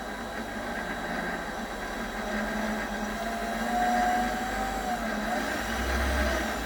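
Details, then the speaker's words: Normal running of a Chinese mini lathe after reseating a dislodged chuck-shaft magnetic speed pickup, sensor about 8 mm from magnet, bearings lubricated with moly slip; steady motor hum, smooth spindle whir, bearings quieter, no knocks or grinding. "but the bearings are much quieter and much better lubricated because i put a bit of uh molly molly slip on them as an entering measure"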